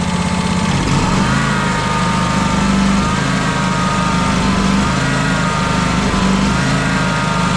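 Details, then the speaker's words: John Deere X350 mower, after a new electric fuel pump was fitted, sounds good at low idle but its drone still rises and falls in slow waves. Fuel filter and pump are ruled out; carburetor, fuel lines or debris in the old pump are suspected. "Still surging. Okay, so I've come to the conclusion that it is not the fuel filter, it is not the fuel pump."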